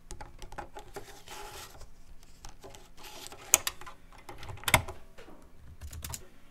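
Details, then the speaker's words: Teac FD-55GFR 5.25-inch floppy drive in an external housing, run through an NEC UF0001 USB floppy controller via a 26-to-34-pin converter, booting old disks: quiet irregular head-step ticks and buzzing, sharp clacks, short read whirs; normal seek and read. "uh so um you could see that this good old drive uh hooked up to the the usb controller plugged into the computer it could read write stuff boot you could copy files still works"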